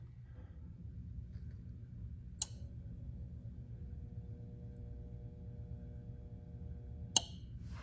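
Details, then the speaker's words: RCA 5.1 cu ft chest freezer compressor won't stay running after defrosting and moving it: click, faint strained hum about five seconds, click off, retrying about 1 min 44 s later; faulty compressor start relay, fixed by replacing it. "click sounds like it tries to start for clicks on and clicks off about five seconds and then about a minute 44 seconds later it'll try it again same thing"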